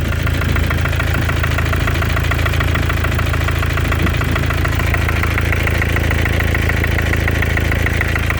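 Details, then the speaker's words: 2014 Mercedes with OM651 biturbo diesel, 300k mileage, idling with the hood open: a fast, even light knock about two per second, like a small hammer, up top near the turbos, the same cold or hot; cause unknown. "Где-то вот она вот тут вот рядом как будто молоточком кто-то чуюхает."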